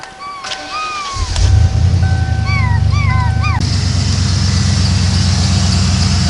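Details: Ford van that would not start, running after a wire to a burnt cigarette-lighter fuse was pulled out; a dog barks as the engine catches and settles into a steady low idle. Owner unsure what fixed it; it still backfires under hard throttle.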